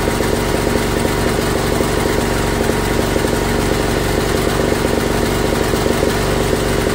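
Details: Old Briggs & Stratton auction generator, run on gas with electric start, first run in years after purging regulator: small single at steady, even beat, no misfires or surging; engine runs healthy but no power output, bare wire found.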